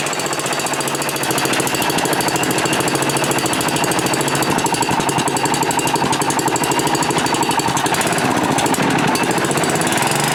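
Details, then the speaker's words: Manco Rattler II go kart rescued from a scrap yard, small engine first start after rebuild, still cold, carburetor without choke; busy chatter of small revs that wavers and won't settle, rough idle; no smoke, no ticks, accelerates well. "so so didn't run too too bad we'll have to see you know he saw no smoke it's not making any ticks it accelerates good it's still a little cold so maybe i gotta wait for it to warm up because this is not a carburetor with a choke on it"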